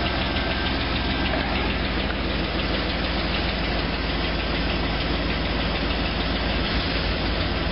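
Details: C5 Corvette Z06 V8 at idle with a hollow, rapid, even knock keeping pace with the engine: piston slap.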